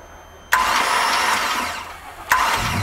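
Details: Mercruiser 4.3 V6 marine engine, hydrolocked, water on spark plugs, plugs removed, new starter: two bursts of fast free cranking with hissing spray as water is blown out of the cylinders.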